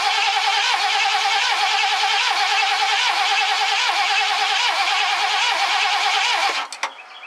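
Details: 1969 Ford Econoline van, last run date unknown: fuel line disconnected at the engine and fed from a gas can, cranked to test fuel pump delivery. Steady starter churn at about four beats a second, never catching; cranks, no start, cause unconfirmed.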